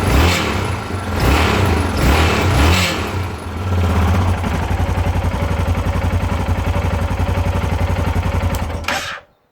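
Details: 2010 Yamaha XT660Z Tenere single-cylinder with 32k miles, revving then idling: a dry, metallic grinding rattle rides over the thump. It seems to come from the top end of the engine; cause not confirmed.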